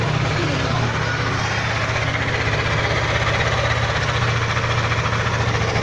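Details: Yamaha Aerox 155 scooter, about one year old with 11k on the odometer, idling: a loose, uneven light tapping over the engine beat, an abnormal mechanical noise of unclear origin.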